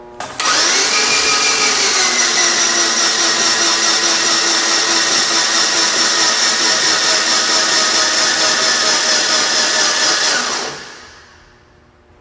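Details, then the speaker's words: 2001 GMC Sonoma 2.2L, newly replaced engine with plugs out and oil in cylinders, cranked on starter to prime: steady high starter whine, even churn, no firing; oil pressure gauge rose from zero, normal. "I want to show you what uh I'm looking at when I do this and that's the oil pressure gauge and when I first started cranking it was at zero but then it it came up"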